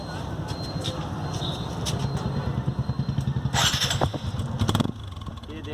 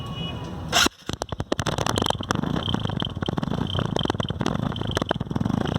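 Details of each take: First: TVS Apache RTR motorcycle after clearing insect nest/dirt blocking the silencer that had changed its exhaust sound: fires up into an even, deep pulsing idle with no choked or muffled tone; normal exhaust note. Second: Motorcycle at idle before repair: uneven soft popping putter, like the exhaust is choked; an insect had built a mud nest inside the silencer, blocking it and changing the sound.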